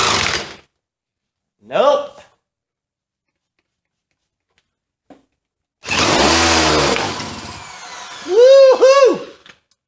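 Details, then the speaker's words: Mini bike found used, with a fuel mix sprayed in the carburetor and the engine spun by a drill because the starter motor seems weak: drill whine, then a brief rough sputter of firing before it dies. It cranks but won't stay running. "she hear that there's a little life in her boys a little bit"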